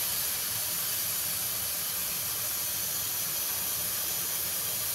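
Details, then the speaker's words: 2001 Dodge Ram 2500 Cummins diesel with programmer, intake pressurized with engine off: loud steady high-pitched hiss of escaping boost air at the intake boot, either slipped off or rubbed through; boost leak. "from that side of the engine somewhere it was right here definitely hear it over here oh yeah oh yeah i can feel it with my hand it's blowing against my fingers"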